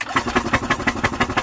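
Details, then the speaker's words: 1998 Yamaha golf cart engine, flipped in a field and sat about a year, crankcase oil coming out the carb: quick even chuffing about six beats a second as it cranks and sputters, throwing oil and gunk everywhere. "following all kinds of gunk out of it look at the throwing oil all over the place and I'm gonna have to go get a rag and clean that up"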